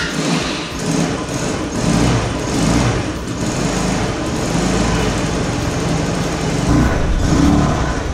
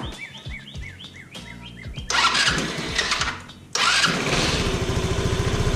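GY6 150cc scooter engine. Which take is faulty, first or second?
first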